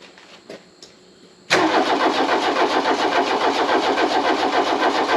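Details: 1984 diesel VW Rabbit Mk1 parked 26 years: cranks briefly, then fires and races at a fast, high, pulsing idle instead of settling; owner wonders if the intake is full of diesel, cause unconfirmed.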